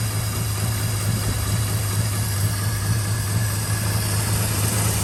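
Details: 1951 Studebaker just got running, generator disconnected, idle raised: lumpy uneven low idle that stumbles and shakes; burnt valves causing a steady misfire.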